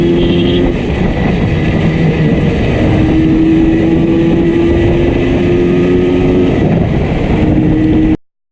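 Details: Yamaha RD350 two-stroke ridden home under load: loud uneven drone, beat stumbling irregularly and lacking pull; one cylinder heavily misfiring.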